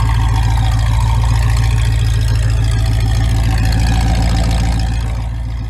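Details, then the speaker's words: 1973 Mustang V8 after a new single-wire distributor, plug wires, spark plugs and a 600 cfm Edelbrock carburetor; compression good. Deep steady idle burble about four pulses a second with no misses; runs clean and healthy. "sounds good single wire distributor plug wires new spark plug and carburetor now she runs good"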